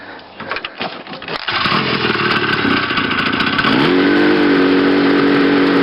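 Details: Restored and modified 1970 Ski-Doo Nordic snowmobile two-stroke: a few rough pulls, then it catches into a buzzy, even run, with pitch climbing as the revs come up.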